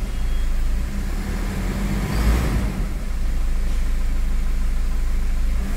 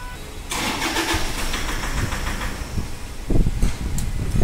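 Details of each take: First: Toyota Fortuner diesel after repair of knocking, white smoke, hard starting and pickup drop; engine revs fully with a deep, even roar, no knock or tapping, running clean; earlier slight missing thought due to oil. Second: Toyota Fortuner at start-up: rough cranking and a ragged start with heavy irregular knocking thumps, then the engine stalls. It blows white smoke and has a pickup drop, with check and ABS lights on. Hard knocking on start, cause not yet found.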